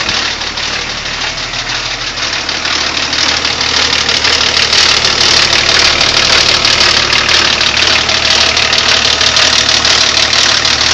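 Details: BMW E34 TDS diesel at idle: fast, fairly even metallic rattle over the clatter from a stretched timing chain and worn guides.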